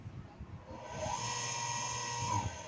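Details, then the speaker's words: Water pump that would not start after a recent rewind (three white leads), now wired with a continuous-duty run capacitor and tested in both rotation directions: a steady, even motor hum and whine settles in after startup, no rattles or surging. Running normally. "Ahí está un giro ahí está el otro giro y este ya lo pueden dejar con confianza trabajando"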